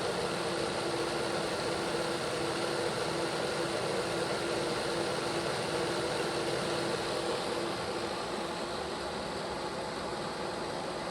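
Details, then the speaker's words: Bachmann Dash 9 model locomotive after motor block repair, at 8 speed steps: steady, even motor hum with soft hiss, no growl or grinding; normal running after repair. "Let's take it up to 8 speed steps. There's 8. Sounds 100% better. Nope, everything's okay down here too. No issue."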